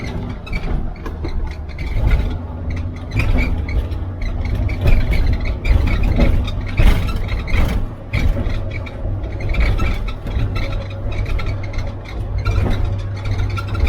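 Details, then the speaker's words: 1967 VW Type 3 Squareback, lowered front beam suspension with bump stops removed: lower arms ride metal on metal against the bump stop arms, so the front is super stiff and bouncy. Road rumble with hard clunks and a squeak, mainly from the passenger-side front corner. "suspension's super stiff. Anytime I hit a bump, it'll pretty much bounce and you'll hear a squeak."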